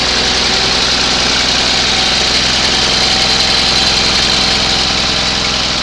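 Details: 20HP Onan engine, first start after a rebuild, following an earlier attempt with suspected no spark: runs steady and even at constant speed with a busy rattle but no misses or knocks; normal running.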